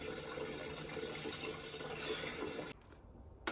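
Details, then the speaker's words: Baxi boiler expansion vessel tested at its valve, system losing pressure daily: steady rush of water pouring out for a few seconds, then an abrupt stop; failed diaphragm, vessel won't hold pressure and needs replacing. "That won't hold any pressure. I think it's blowing straight into the vessel and straight out the drain off. M that's knackered."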